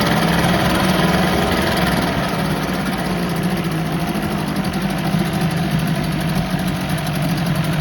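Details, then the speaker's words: 1984 Johnson 25 HP outboard at fast idle, pumping water, long unused: slightly uneven, ragged beat with some faltering; little sputtery on the throttle, owner suspects carb float bowl, carb still to be gone through; not confirmed. "Little sputtery on the throttle, but that could be car float bowl related."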